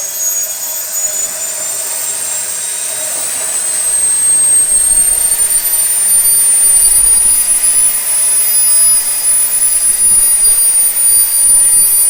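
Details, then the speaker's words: SWIWIN SW220B micro turbine on a test stand, test run three: clean high whine climbing steadily over 3.5 s, then holding even pitch at the 110,000 rpm max with no surging, about 45.5 lb thrust; normal turbine run. "so you'll notice here as i throttle up the acceleration is 3.5 seconds and our max rpm is set to 110 000"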